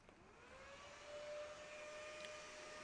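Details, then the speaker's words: Mini heater fan motor bench-tested on a motorcycle battery. A steady, even whir with one clean tone and no rattle or scrape: the fan runs freely and normally. "Blowing up a storm. Not making any noise."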